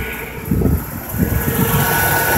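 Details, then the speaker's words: 1995 Ford F-250 after no-spark repair: new ignition coil, cap and rotor, idle air control and position sensor replaced; engine idles with steady low pulse evening out after a brief blip, no misfire or ticking, sounds good. "she sounds real good all right"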